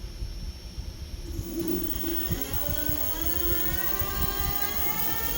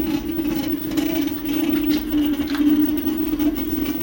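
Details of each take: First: TeeWing Mars XTR hyper e-scooter front hub motor after adjusting the yellow cable and the brake caliper: smooth rising motor whine with no jitter or rough pulsing. The dual-motor jittering noise is fixed. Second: TeeWing Mars XTR electric scooter in dual-motor mode on cruise: constant jittery droning buzz through the frame from the front hub motor, which also lurches the scooter and loses power; caused by poor motor grounding; hub motor electrical noise.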